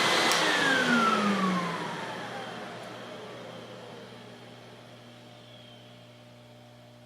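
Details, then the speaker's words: Lincoln Electric X-Tractor 1GC fume extractor from an auction, 120 V, run in manual mode with low and high settings: a smooth fan whine drops in pitch as the blower coasts down, with no rubbing or rattles. Fan operation is normal. "it starts sucking, which is great. And it does suck. It works the way it's supposed to."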